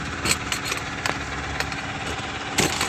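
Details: Mahindra Supro BS6 diesel idling steadily after a no-start fix: a faulty six-month-old replacement motor was swapped back for the original and codes moved to history. Light even clatter, no hunting or misfire, check light and 133 km reading gone; normal idle.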